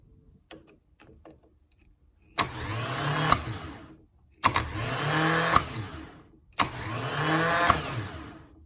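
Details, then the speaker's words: Rebuilt starter motor from a 1990 Jaguar XJS V12 convertible, bench test after refurbishment: three clean bursts of even whine, each spinning up smoothly before cutting off; normal, healthy starter run. "So there we have it, what appears to be a working starter. Now comes the moment of truth, actually two moments of truth. One to see if it actually works on the bench, and the other if it actually works in the car."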